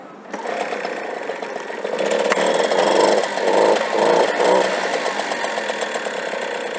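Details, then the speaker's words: 1985 Enfield mofa two-stroke moped, cold start with choke on, pedal-started (no kick): catches and buzzes up, revving in quick swells then holding a steady ringing run; starts fine. "So guys, the bike is rolling now. You can see the engine is on. So let's hear the sound now."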